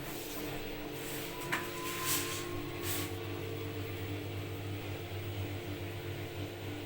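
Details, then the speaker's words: New front-load washing machine that vibrated and was noisy from poor installation, unbalanced with transport bolts left in. After balancing, on spin-only with clothes, it gives a quiet, steady low hum with a couple of light clicks and no thumping. Normal, stable spin. "So this is the spin only, and then we the machine is stable, no vibration, because it's well balanced, stable."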